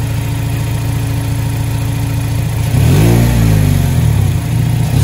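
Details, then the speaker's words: Mazda CX-5, exhaust flex pipe repaired with heat-resistant fibreglass wrap tape; steady low idle, then a quick rev rising and falling cleanly with no rasp or leak hiss; noticeably quieter inside and working properly. "Так ну что касается Когда в машине сидишь то есть ну прямо стало реально тише да работает как надо"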